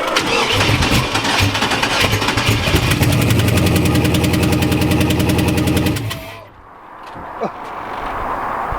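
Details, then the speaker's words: Turbo Camaro street car, 5.3 iron-block V8, run at the track two days earlier: long cranking with rapid even ticks, rough catch and quick die-off, hissing chuff of air escaping between block and head; blown head gasket. "It's air escaping between the block and the head. The head gasket is literally blown out. Well, she doesn't sound pretty."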